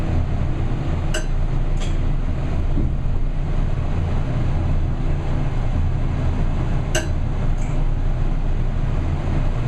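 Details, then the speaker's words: Gemco elevator with 2-speed door: heavy low rumble with scattered sharp clicks as the door moves; rough door operator needing maintenance. "That's a really funny click. That's a rough door operator. It's a 2-speed door."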